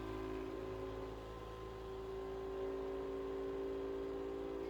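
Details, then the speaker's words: Sovol SV07 printer under Klipper, input shaper resonance test sweeping up toward 100 Hz, at about 40 Hz: only a low, even buzzing rising slightly in pitch, with no visible shaking, knocking or grinding. This is a normal resonance test. "You can only hear it buzzing, but it's not moving, no visible shaking anymore."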